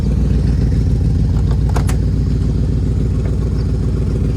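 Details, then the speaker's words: 1967 Ford Mustang, factory 289 car now with a 302, revived after sitting since 2008; after shift shaft seal and transmission work, engine runs good with a deep, even V8 idle burble, steady low rumble, no knocks or misses. Normal running. "That's kind of where we're at, but it's running good."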